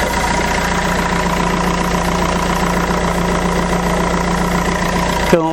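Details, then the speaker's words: Fiat Doblo diesel idling after sump replacement, oil change, exhaust refit and turbo refit: even clatter at a steady idle with no knocks or misses; sounds healthy. "that shell needs to get cleaned but sees carpets oh it doesn't smell a dog excellent sounds absolutely fantastic sounds great"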